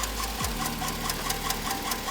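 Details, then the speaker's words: 2008 Chevrolet Tahoe (GMT900) V8, 4-speed automatic, 178,000 miles, replacement motor, idling with sharp even knocking about five times a second; began as a tapping first thought an exhaust leak, owner and mechanic suspected bottom end, a failed lifter. "This Tahoe started to make a tapping sound. I thought it was an exhaust leak, but as it got louder, it started to make this sound."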